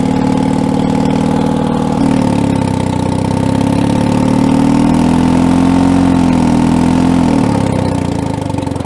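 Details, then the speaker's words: Allis-Chalmers HD6 track loader, long-stored diesel, driving in reverse: the drone sags, climbs and drops over a few seconds and won't hold speed; the governor isn't governing well or there is a fuel problem, owner leaning toward fuel. "so the governor does not appear to be governing too well or we have a fuel issue which I think I'm leaning towards a fuel issue"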